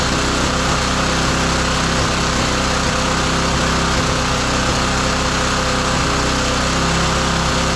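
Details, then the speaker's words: Roadside-found lawn mower engine for the Tommy Gun mini bike, carburetor adjustment screw found turned all the way in: loud, buzzy steady-speed run with a slightly uneven beat, lean mixture starving it of fuel. "What is the adjustment screw? Why is it turned all the way in? See if we can get a little bit more out of it."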